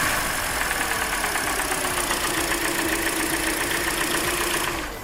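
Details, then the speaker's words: Hyundai Elantra 1.8 engine at idle with a light quick tick or knock, about three to four per second, that persists with cylinder 4 disabled. Piston slap is being checked, not confirmed. "Okay, let's go ahead and try cylinder number 3. Okay, it's still knocking, but it's knocking a little bit less now."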